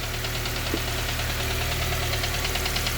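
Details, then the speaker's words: K-swapped Honda Civic EP2, throttle body IACV deleted, warm idle: a light sharp tapping at about two per second over steady idle, seeming to come from the back of the head; heater hoses not leaking, cause of top-end tick unknown. "heater hoses are all fine no leaks still got that annoying tapping sound"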